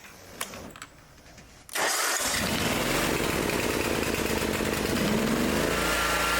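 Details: Ferris zero-turn mower started with choke after a new battery was fitted: a few clicks, then the engine catches at once and settles into a steady, even single-cylinder idle.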